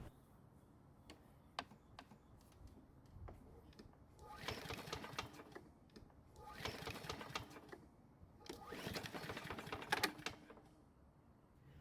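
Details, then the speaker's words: Toro walk-behind mower, a couple years old, bought non-running, new test air filter fitted: three pull-cord cranks, each a short churning burst dying away without catching; cranks but won't start, owner plans to prime the engine. "so that didn't go according to plan I guess I'll have to help it out and prime the engine"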